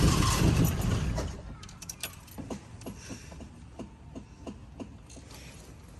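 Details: Fiat 147 with carburetor cranking: loud start fading into irregular weak pops about four a second, won't keep running. Pedal pumping floods the carburetor causing misfires and a flame at its mouth; electrical problem suspected.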